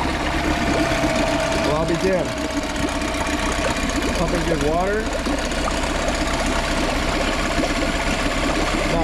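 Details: Small cheap outboard that the seller said had been running, with clean oil, started on choke and idles with a steady, even, smooth low drone and no knocking or misses; it sounds healthy.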